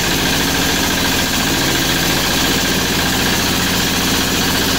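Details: MEP-802A diesel generator at its first start after piston ring and gasket/seal replacement (before: only one cylinder firing, blue exhaust smoke, blowby from intake); strong, even clatter at steady speed with no skipped beats, running clean and healthy.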